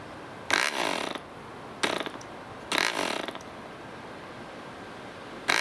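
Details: DC Spitfire 1cc model diesel engine, cleaned up, on 8x4 prop with Model Technics D2000 fuel: three or four brief sharp popping bursts that die within a second; hard starting, owner suspects compression set too high.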